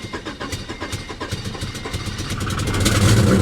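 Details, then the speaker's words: Salvage-auction car (classic Honda Accord with PGM-FI) at Copart in Danville, Virginia, started after cycling the key and given throttle: loud, raw, uneven, unmuffled exhaust pulses, lumpy then swelling, running rough with high idle; cause unconfirmed. "there it is there it is yeah that exhaust is uh she's pretty rough she's pretty rough listen to the old girl man"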